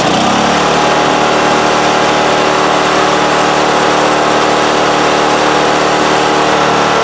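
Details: Craftsman snowblower after realigning misaligned shift rod for missing 6th forward and slow reverse, run through speeds one to six and reverse: even, steady engine drone, no knocks, surges or grinding; normal running.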